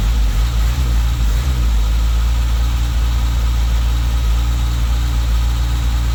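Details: Toyota Tercel wagon with swapped 4A engine and carburettor, just after fitting a Schneider Racing regrind cam: deep, low loping idle rocking unevenly, a bigger-duration cam chop, otherwise steady.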